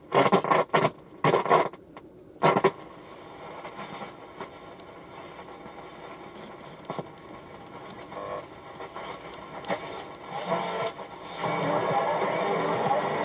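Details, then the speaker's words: 1963 Fidelity Floret 7-transistor radio, dead on arrival, tap-tested with external speaker; sound bursts in and drops out with each tap, popping, then hiss; intermittent faulty transistor, dirty switch also noted. "So it's this transistor here."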